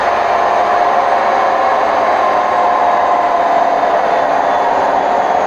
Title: Hotpoint WMF760 spin program with bad bearings May 2018